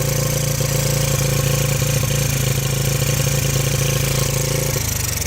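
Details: 1985 Yamaha Moto 4 80cc ATV on fresh fuel with the fuel valve shut off: an even single-cylinder putter at about four beats a second holds steady, then dies away as it runs out of fuel; healthy, well-set idle.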